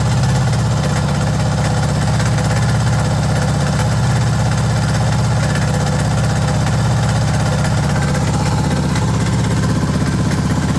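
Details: Suzuki DR650 Dakar SP41B single-cylinder at idle: deep idle with uneven low thumping, roughly three beats a second, that sounds off; engine makes strange noises, cause not clear.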